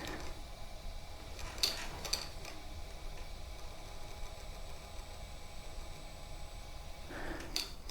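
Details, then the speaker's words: Sherman electric unicycle hub motor spinning freely after tightening loose parts: steady low buzzing drone with a faint whir; vibration persists, cause unknown, owner unsure whether it was always there. "okay that didn't help sure you can see that vibration you hear it"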